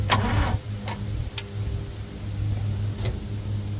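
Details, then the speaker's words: CRT23 Chinese mini skid steer, batteries fully charged: starter grinds over slowly and unevenly with sluggish heavy turns, sounding like flat batteries; owner suspects starter failure, not confirmed. "See, to me, it sounds like the batteries are weak in a way, but with that being said, I know the batteries aren't weak because they're fully charged up."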